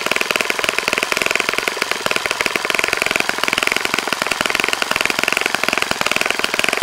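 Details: Saito FA-65 glow four-stroke on its first run after rebuild, APC 12x6 prop, Morgan's Omega 10% fuel, Fox Miracle plug, heavily primed to start; fast even crackle at high revs holding steady, no stumbles or misses; normal running.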